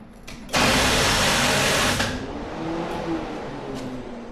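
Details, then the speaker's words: 1985 Chevy C10 big-block 454, after alternator replacement (earlier high ripple voltage) and electric-fan fuse pulled: harsh starter whirr about 1.5 seconds then sags into slow labouring turnover, never catches; weak cranking, cause unknown. "Big fat nope. All righty. Okie dokie. And all that fun stuff. So, turns out the ripple voltage doesn't seem to be the problem. New alternator. same uh result here. Bad."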